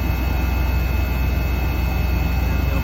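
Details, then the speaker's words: Daikin ducted unit that heats 15–20 minutes, then blows lukewarm with no fault code. Phone held close; a steady low compressor drone with a soft pulse winds down step by step, fans at full: the pipe thermistor reads 31.5° versus the actual 4–5°. "fans are still running at full pace just the actual compressor probably hear it step down again i'll get the phone in close and stop talking hopefully you can hear it they'll just step down again"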